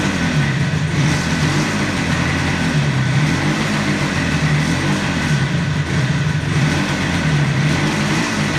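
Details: 1976 Yamaha RD400 two-stroke started after 5 years in storage: crisp buzzing, runs evenly and picks up cleanly on light throttle blips; sounds healthy.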